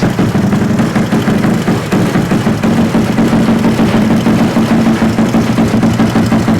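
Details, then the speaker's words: Small single-cylinder engine, first start after a Koso 170cc big bore kit, Competition Werkes GP full exhaust and aRacer ECU, just topped off: loud, steady idle with a crisp, raspy exhaust beat and no stumbles. This is a normal idle. "and we're gonna refire it sounds amazing yes okay Linda topped it off we're gonna refire her"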